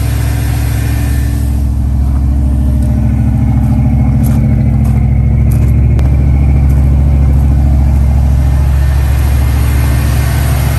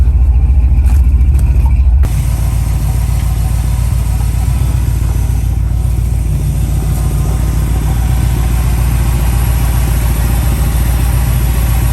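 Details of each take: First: 1969 Dodge Dart V8 idling after a cold start while warming up for the choke to open: deep, loud, uneven lumpy beat of roughly three pulses a second, running rough. Owner says it definitely has a burnt valve or two, not fixed. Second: 1969 Dodge Dart after ignition troubleshooting: steady, even low rumble, no misses, idling smoothly and starting instantly, so the ignition is judged good. The fuel filter is empty once warm, and a fuel pump problem is suspected.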